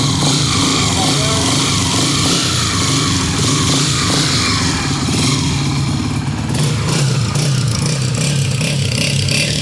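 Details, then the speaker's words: Honda CG125 single after the faulty tappet rods were replaced (no cam or piston work needed), fixing a tik-tik top-end noise: the engine runs at a steady, even beat with no tapping and sounds smooth and healthy. "आपने कहा केम के काम होगा, पिस्टन का काम होगा, ये डले आपके नए। आवाज़ सुन रहे माशाल्लाह। ओके होगी माशाल्लाह।"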